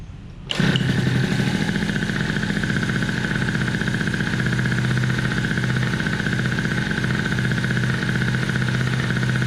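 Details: Scooter just fitted with TWH black intake manifold and refurbished SWR 28mm carburetor: kick-started, catches at once, then steady, even two-stroke idle with no misses or rattles; normal start and idle.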